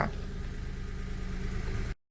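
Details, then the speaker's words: Daewoo Matiz three-cylinder petrol after engine repair, restarted during warm-up check: even steady idle, no misfires or knocking; warning lights go out; running smoothly. "пробуємо все автомобіль працює"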